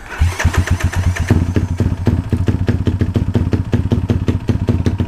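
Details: Motorcycle with newly fitted 34mm carburetor being tuned to cure a bog when cruising: fires up and settles into a quick, even single-cylinder thump at steady idle, no stumbling; normal idle.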